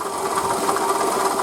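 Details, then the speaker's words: 2008 Toyota Camry 40, 2.4 L 2AZ-FE, 176,000 km, original pump and idlers: rapid light mechanical clatter over the running engine that grew strong since the previous evening; owner suspected the water pump, later confirmed and replaced with belt and coolant. "помпа родная слышим Да какой звук появился начал потихонечку себя проявлять вчера вечером уже прям вот сильно"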